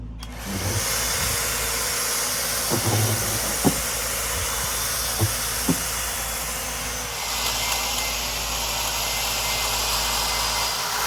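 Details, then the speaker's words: 25-inch California Trimmer Catalyst reel mower, Honda GX160, 7-blade reel, mowing after reel-to-bedknife adjustment and backlapping, set slightly tighter: loud steady engine with a faint metallic whirr from light reel contact, not too tight. Normal cutting. "I can hear the reel a little bit more, meaning I could hear a little bit of that metal to metal contact, but by no means is it overly tight. By no means is it too tight."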